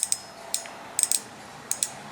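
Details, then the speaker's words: Replacement fuel injector for a 2002 Ford Taurus SES with code P0301 (cylinder 1 misfire), bench-tested out of the car on about 5 V: sharp crisp clicks in quick pairs on each power pulse. This is a working injector; the bad one made no clicks. "that is a working injector the bad injector that we have [Applause] nothing no clicks nothing"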